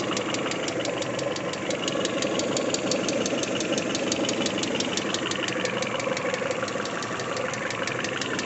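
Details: Peugeot 406 Coupé, 244,000 km, after timing belt replacement, warming up at about 50 °C coolant. Sharp, even top-end ticking at about three per second over a quiet idle fades with revs and warmth: hydraulic lifter clatter.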